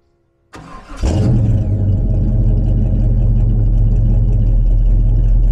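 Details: 1967 Chevrolet C10 stepside pickup, fresh cold start, not started that day: quick crank catches cleanly, then a steady, even, deep idle with no knocks or misses; normal cold start and idle.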